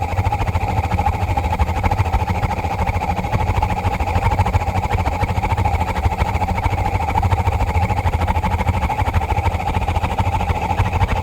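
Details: 50-gallon gas water heater, once the thermopile warms enough to light after low-voltage flashes: steady, heavy roar of an oversized flame, no pulsing; inner pipe turns red hot if not shut down; cleaning didn't help; abnormal burner roar.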